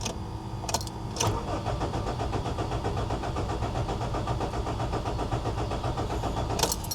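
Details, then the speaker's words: Honda, unrun for years, clutch in: steady starter churn about two beats a second, never firing; crank no start, traced to a missing F1 ECU fuse, and it started once the fuse was fitted. "Clutch in. Crank not starting. H. Trying again."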